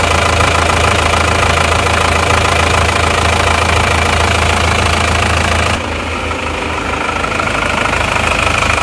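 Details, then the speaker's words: Isuzu Panther diesel after engine overhaul, pre-Euro versus Euro 2 comparison at idle: steady soft clatter, no irregular knocks or misses; Euro 2 runs quieter and smoother due to timing differences, pre-Euro smokes more until warm. "yang Euro 2 itu suaranya lebih halus ya teman-teman suaranya lebih halus lebih ngereng-ngreng jadi karena perbedaannya ada ditimingnya itu lebih senyap"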